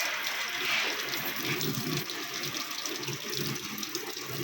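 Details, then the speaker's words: LG 15 kg smart inverter top loader (turbo drum) after an FE (water overflow) error fix: steady, even rush of water into the tub, stopping and restarting on pause/start; inlet valve filling normally. "দেখেন এখন পানিটা আসতেছে, আমি একটু stop করলাম, push দিলাম, push, পানিটা বন্ধ হচ্ছে।"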